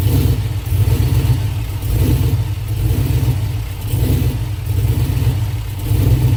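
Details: 5.3 V8 engine swap running rough: revs surge and fall every couple of seconds, lumpy; misfire, fuel pressure suspected.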